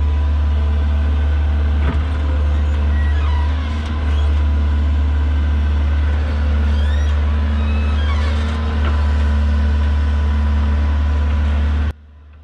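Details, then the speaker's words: Heavy equipment "120" machine: low diesel drone with occasional short high chirps as the boom moves; squeak comes from dry, ungreased shims on the main boom pin, not pin or bushing; grease between shims might have prevented it. "the squeaking you hear in a boom from time to time is not actually a pin on bushing squeaking it's actually the shims on the main boom pin hindsight being 20 20 maybe we should have worked a little bit of grease up between them and prevented t"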